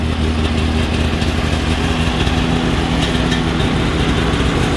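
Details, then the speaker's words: XC 700 two-stroke snowmobile, barn-stored for years, started after ignition switch refitted and new NGK plugs replacing Champions; strong, even burble holds steady without sputtering; normal start and idle. "Now that she's all up and running, we're going to have to investigate what the heck is going on there."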